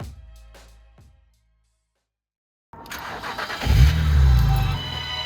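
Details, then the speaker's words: BMW Z4 3-litre six, 261 hp, after full rebuild and service with new oil, spark plugs and air filter; over music, it catches cleanly, blips up smoothly and settles, with a crisp even rev and no misfire. Healthy engine. "Listen to that. Trust me, the hard work was worth it."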